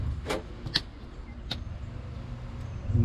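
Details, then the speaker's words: Boat engine saltwater (raw water) pump running, heard just after a freshwater pump test during a motor swap project: steady low hum under a few clanks, no surging or rattle; normal. "that's the saltwater pump. You can hear it going."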